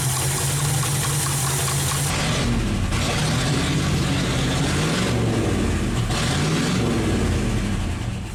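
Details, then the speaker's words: 1970 International 1200 pickup that sat 30 years, first running after ignition work: loud, uneven idle hunting and surging with a hissy background; carb float stuck, flooding fuel out the air vent; carb needs rebuilding. "Float stuck in the carb. We're just overflowing, dumping fuel out the air vent."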